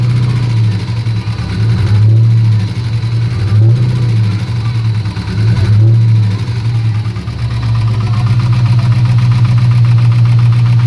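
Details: LS1 Camaro V8 at idle: deep, loud idle with a hum that dips and surges and a faint rapid tapping under it suggesting an engine knock.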